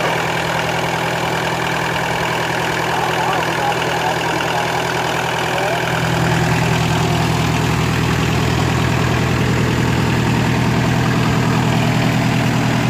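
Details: Kubota L3202DT four-wheel-drive diesel tractor, used, engine never opened up; steady, even diesel idle with a smooth low beat and no knocks or misses; normal idle.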